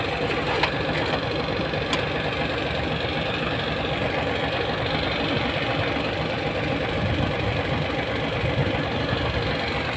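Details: Hino 700 with E13C diesel, low power, rough idling and hard starting: uneven lumpy chug at idle with a loose knock that misses its beat now and then; misfire traced to malfunctioning injector #5.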